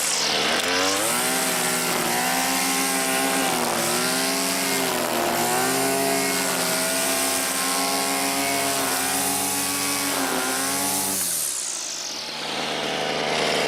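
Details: Neighbor's two-stroke weedeater that wouldn't fire up, reassembled, choke on: high buzzing engine revs up and down smoothly about eleven seconds, then cuts out; runs fine.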